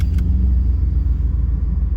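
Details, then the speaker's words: 1991 305 TBI, warm, at idle after new TPS, IAC, MAP sensor, cap, rotor, coil, plugs, wires, EGR and fuel filter: a steady, even low idle rumble with no misses. Sounds healthy, though it still sputters in drive or under load. "But right now, it sounds really good."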